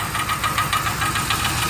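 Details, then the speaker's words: 2003 Ford Explorer idling, heard from underneath: the catalytic converter has come loose inside and self-destructed, a loose piece rattling and plugging the exhaust port, causing hardly any power; quick tinny tick about five per second, first thought transmission or cracked flywheel. "This catalytic converter has come loose on the inside and is pretty much self-destructed. And there's a piece in here that's rattling,"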